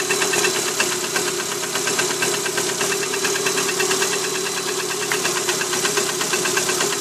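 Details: Cold Lada Priora 126-series petrol engine idling at 10 °C ambient: a sharp, rapid, tinny metallic knock riding steadily over the engine. Piston slap in cylinder four, confirmed by removing its coil; no knock after repair.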